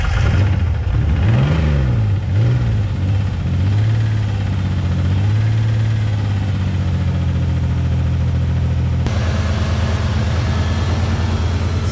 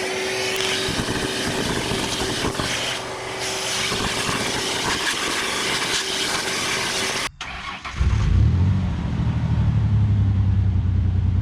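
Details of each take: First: 1999 Ford Ranger just started after long storage, smelling of old gas: revs surge and sag unevenly for a few seconds before settling to a steady idle. Rough running; owner suspects it needs Seafoam, cause unconfirmed. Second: Pickup truck after clearing a clogged air box, previously not driving because of a locked-up brake: rough noisy stretch, then a steady, even idle with a firm low hum and no misses; runs better than before.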